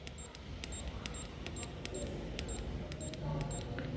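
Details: Mitsubishi electric fan after its power supply circuit was repaired: short, crisp, high beeps with each button press as the speed is stepped up and down; normal control beep.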